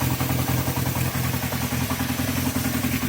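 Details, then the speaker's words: Honda CB350 four-cylinder motorcycle, warmed up, at low idle after carb cleaning: lumpy, uneven beat with more frame vibration, carburettors slightly out of balance, before balancing. "when it goes to like a sort of a low idle you can hear it's a little bit out of balance there a bit more vibrations on the frame"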